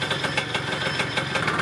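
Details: Yamaha Neo's 50 scooter, 50cc two-stroke, after service (new hoses, air filter, spark plug, 2-stroke oil), idling during a multimeter charging check with the lights on: quick, even popping with a light buzzy exhaust note, settling to a clean idle.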